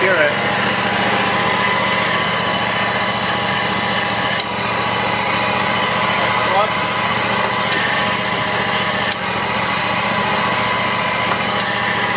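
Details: John Deere X320 mower, 260 hours, after PTO clutch bearing replacement and new belts: steady even hum with no knocks or clutch grinding; repair called semi-successful, upper bearing hard to remove.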